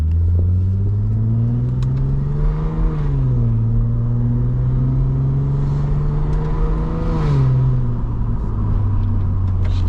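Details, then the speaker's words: Lexus IS250 after an intersection crash, driving with the rubbing under tray removed: deep smooth engine drone rising and falling with throttle, no knocks or rattles; engine runs normally, though fender liner rubbing suspected elsewhere. "still sounds great. Still sounds great."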